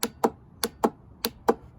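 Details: Ford-style four-post auto parts store starter solenoid bench-tested with 12 volts on its coil: six sharp, crisp clicks over a quiet background, pulling in normally; its frame is not grounded, unsuitable for a lawn tractor.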